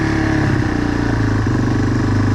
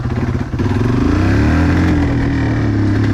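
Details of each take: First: Yamaha 225XT dirt bike right after its carburetor was removed and cleaned, started on choke. It catches and revs cleanly with smooth rises and falls, no stumbles, and pulls through the gears; runs healthy. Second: Yamaha 225XT dirt bike, warmed up, ridden on the street. Revs climb briefly, then flatten into a strained drone and won't hold full throttle. The bike is bogging from a dirty carburetor.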